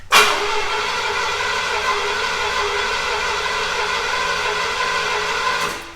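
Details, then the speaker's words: Long-stored Lawrence Welk car in abandoned garage, fuel fed from a can via cheap universal electric pump (3-5 psi, needs 15); steady starter whirr about five seconds with no firing, then drops away; injectors not firing, crank no start. "Okay, try it again. Okay. The injectors are not firing at all."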